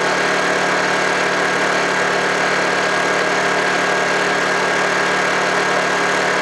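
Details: Small Honda generator cold-started after sitting about three months: steady, even drone with no knocks, misses or surging; running smoothly and healthy.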